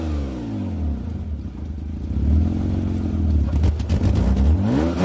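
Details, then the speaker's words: 2003 Mitsubishi Galant running after exhaust repair; front section unclamped, weld possibly needed, started to test. Even, low running note with a few light revs and no hiss or puffing from the pipe; it works and the exhaust sounds sealed. "okay well it works"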